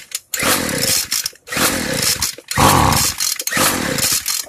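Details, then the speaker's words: Free two-stroke weedeater after low-speed carb screw opened too far: four rough blubbery revving bursts about a second each, near silence between; carb set too rich. "Alright, so I gave it too much. So now we're going to loosen it, or tighten it down, I should say."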